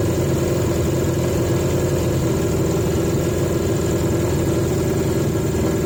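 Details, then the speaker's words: 1980 Yamaha XJ650, airbox refitted and carbs just balanced, idling loud and too fast with a faint judder, cylinders one and two juddering more; runs better on the airbox, but the high idle is not cured. "I think fairly undoubtedly it runs better on the box but it's still it's still got an idle problem and going back to the airbox hasn't cured it it's made it better but it hasn't cured it and I don't know why"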